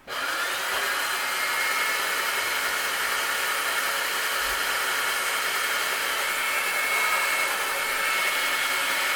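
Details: Breville BCG450XL coffee grinder after replacing two faulty main-board capacitors that caused power loss: constant high-pitched motor whir at full steady speed with no stutter, grinding or rattle; grinder tested OK after repair.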